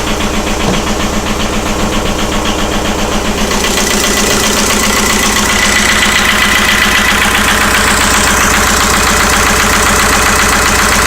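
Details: 1999.5 VW Jetta ALH diesel idling roughly and shaking with a steady hard knock about two and a half times a second; just started doing this, cause unknown.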